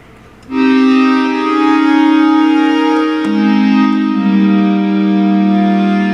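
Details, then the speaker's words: Memorymoog Plus synthesizer after servicing, through KC350 amplifier, auto-tuned, voices cycled in debug mode: clean sustained organ-like chord, then a steady lower held note, no grit or hum; all six voices working. "There's voice 2, 3, 4, 5, 6, 1. As you can see, they're all working. So all voices are working."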